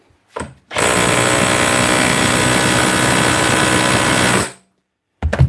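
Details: Hammer drill test-run after repair: steady, even hammering rattle for about four seconds, starting and stopping cleanly with no grinding or slipping; normal operation.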